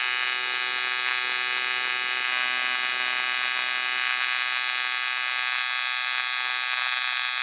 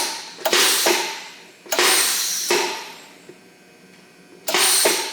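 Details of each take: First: ARCCAPTAIN 200P AC/DC TIG in AC on dirty aluminum, Scotch-Brite cleaned, 4043 filler, first strike before balance and frequency adjustment: harsh steady high buzz with rough crackly edge; erratic arc from contaminated aluminum. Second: ARCCAPTAIN 200P AC/DC TIG welder, DC TIG at 60 amps, supplied regulator and gas line, gas bottle on, foot pedal pressed four times: sharp hissing bursts each fading over about a second; gas valve opens and shielding gas reaches the torch.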